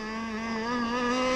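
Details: 30cc two-stroke (carb thought to be 2048, needles 1¼ turns out, stock settings) on an RC T-44 catamaran: strong buzz climbing slowly as revs build, soft and burbly at the top; still running too rich, and the prop needs work.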